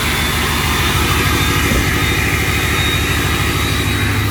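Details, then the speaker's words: 6.0 Powerstroke diesel with turbo switch on, engine still a little cold; deep steady rumble with thin constant high whistle and no rattles, normal turbo spool. "so the turbo should be working as normal. Still a little cold. Got the turbo spools."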